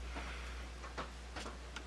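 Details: Garrard Zero 100 S turntable under repair, playing a record: scattered light ticks over a steady low motor hum while the platter turns; the tonearm isn't lowering all the way onto the record.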